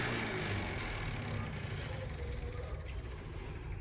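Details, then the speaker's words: Stock 93-02 F-Body cooling fans mounted as pushers on a stand-up radiator: rapid even clicking, about four per second, over the fan whoosh as a blade strikes; a latch pushes the fan forward into contact. "I'm gonna see if it comes on now so young hear that clicking that one's hitting"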